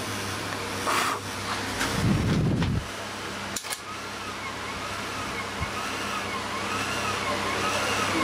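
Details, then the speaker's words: Pioneer CT-200 cassette deck playing a tape: tones wobble up and down in pitch as the capstan motor speed varies; supply measured fluctuating between 12 and 48 volts, pointing to a failed speed regulator on the board inside the motor shell. "it's fluctuating between 12 and 48 volts so under braking later well the personal a regulators gone bad in this board"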